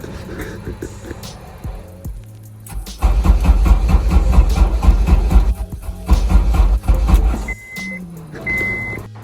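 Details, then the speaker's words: Honda S2000 with AEM V2 ECU and 4-bar MAP sensor set up for an e-tune: rapid starter cranking bursts, engine catches briefly then dies, chimes between tries; cranks but won't start, owner suspects a bad ECU. "So we're going ahead and try to give it a start. It doesn't start."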